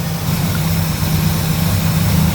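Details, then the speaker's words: 1977 Lincoln Mark V V8 at idle, cylinder balance test while chasing a misfire: pulling this plug wire makes the deep idle stumble and drop RPM, so that cylinder is firing; owner says the misfire is not spark related. "But, when I unplug one that's firing, it'll cause the engine to stumble. We're going to start right here. We're going to hope we don't get poked. So, did you hear the engine stumble? Listen again. Hear it drop in RPM?"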